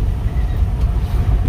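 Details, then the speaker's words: Qute, driving over rough street after replacing the damaged upper control arm: steady low road rumble with no clunks or knocks from the front end; suspension quiet, previous knock gone. "voy por una calle bien fea y ya no hace el golpe que quedaba Oye ya no se escucha ya entonces ya quedó bien"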